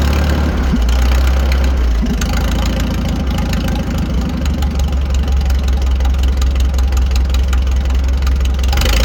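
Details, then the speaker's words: 1940 Farmall H with M&W 9-speed, straight pipe fitted, after new spark plugs (oil seen in cylinder two); steady even four-cylinder thumping with no skips, all four cylinders now firing: normal idle. "so as you can hear the tractor is running way better we have all four cylinders now"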